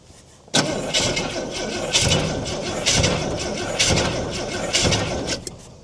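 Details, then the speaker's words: Ford Falcon petrol six, about a 1968 model, parked since 1990, fed fuel poured into the carburetor bowl: starter cranks in bursts, engine catches briefly and fades out; fires but won't keep running. Owner suspects it ran the bowl dry or has a blocked jet. "So she might have run off that bowl. She might have a blocked jet or something."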